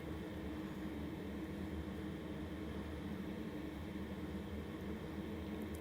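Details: LF Bros 5KW diesel heater just kicked on, room about 80°, warming up: steady even whoosh with low hum, no knocks or rattles; loud during heat-up process, expected to quiet once at temperature; normal.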